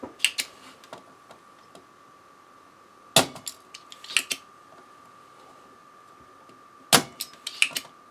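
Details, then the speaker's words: Harman Kardon PM645 amplifier, desoldered decoupling capacitor in the pre-driver circuit checked for continuity: steady high beep under scattered probe clicks shows a dead short; the shorted capacitor may have blown the fuse resistor. "yep it's bad when you see a blown fuse you should try to figure out white blue before replacing it my mistake"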